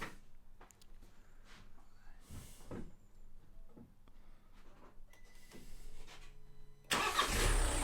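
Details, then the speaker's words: 2014 Nissan Note 1.5 dCi diesel after starter motor replacement (old starter not engaging): quiet stretch, then engine fires at about seven seconds and settles into loud steady run; normal crank and start. "oh that's nice good we'll call that effect over"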